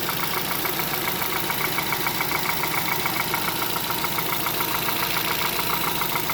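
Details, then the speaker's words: 2011 Hyundai Solaris G4FC, 166k km, new timing chain, tensioner and phaser, coolant 58°C at about 900 rpm: a regular light tapping, about three to four per second, appearing from the top as it warms. Owner suspects piston slap or valves; unconfirmed. "так температура 58 обороты считай 900 начал появляться стук сейчас вот он появляется стук с прогревом становится отчётливый"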